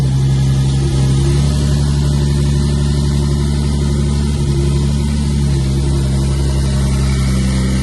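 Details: Twin-turbo swapped widebody Nissan S12 Silvia after first start in 5 years: steady even idle with a deep low rumble, no knocks or rattles; sounds healthy.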